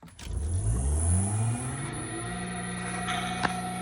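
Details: Progress 4E drill press motor during restoration: spins up with a rising hum, then settles into a steady, even tone with no grinding or knocking; normal run.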